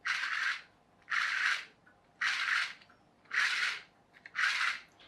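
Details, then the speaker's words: Small 9-tooth plastic pinion gears turned by hand give soft rasping strokes about once a second. The better-matched gear sounds relatively quiet, with none of the clicking or rattling of the loose-fitting one. "sounds relatively quiet whereas this one because it's a loose fit you can hear it clicking and rattling so it's not going to last for as long as that one will"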